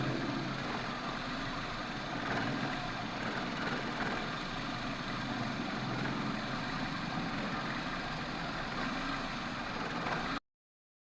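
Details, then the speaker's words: 2007 Toyota Corolla XLi, MAF sensor tested OK: uneven, shaky idle with a loose irregular beat and no rise in revs; engine still vibrating because the idle control valve is stuck and not compensating. "ये जो इसका idol control sensor है ना, गाड़ी को इधर जो है ना रेस हो जाना चाहिए था, गाड़ी रेस नहीं हो रही। इंजन के ऊपर करो, इंजन वाइब्रेट कर रहा है अभी भी।"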